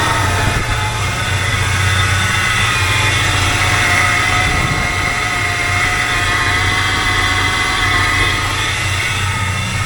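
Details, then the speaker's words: 1985 Chevrolet K20 carbureted V8 just fitted with an Edelbrock 1906 AVS II carburetor; now starts on a dime instead of long cranking. Steady, even low rumble, no misses or knocks, settling into a smooth healthy idle. "I'm going to start it up and you can see that this thing starts on a dime doesn't sit there and try to crank anymore before it had to turn quite a few times to get it to start"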